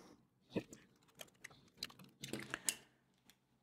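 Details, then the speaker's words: Logitech G203 mouse after squeak fix (shell reassembled, screws not overtightened): sharp plastic clicks and taps when pressed, no squeak between them. "that's it no more squeaks from this part zero squix"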